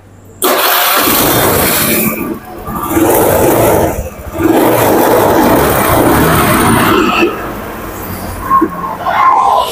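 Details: Honda Beat FI scooter after ECU reset: engine catches but note sags and falters every couple of seconds, cannot hold idle and stalls; cause unknown, valves and head timing marks checked next.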